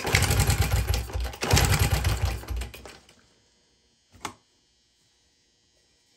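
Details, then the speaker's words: 2000 Honda XR70 single, smoky and running very rich, kicked over at full throttle with choke off for a compression test: fast, light, soft chuffing with little resistance; tops out at 50, low compression. "looking like I'm only hitting 50. not too good let's try it again here we're topping off at 50."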